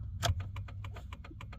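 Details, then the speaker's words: 2001 Dodge Ram work truck, in the cab: right turn signal ticking fast and evenly, about three or four clicks a second versus the normal left side; hyperflash from a blown turn signal bulb. "You hear the change of speed and see how fast this one is now blinking."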